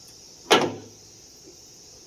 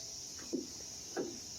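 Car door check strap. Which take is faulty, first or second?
first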